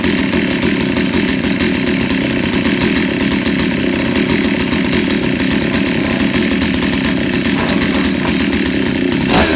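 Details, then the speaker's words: 63cc engine just fitted with an aftermarket carburetor, a light-pull starter and a stock coil, first run with the choke opened and idle raised: a blubbery, uneven fast-idle burble shows it is running rich, so the mixture screw is turned leaner half a turn. "หน่อยงานแล้วหน่อยถ้าเพื่อนๆแล้วนะแบบนี้นะครับคือน้ำมันเข้าเยอะผมจะลดเฮ็ดลงนะครับอีกครึ่งรอบครับ"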